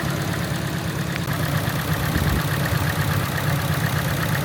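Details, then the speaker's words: Engine idling: uneven, lumpy idle with an irregular low thump that keeps stumbling, engine shaking, one cylinder's note different; misfire, coil packs swapped to test coil versus injector, spark plug found oil-covered, suspected valve cover leak. "Alright, so diagnosing this misfire here, you can see you get a change in note in the engine between all of these cylinders, but this one's an issue."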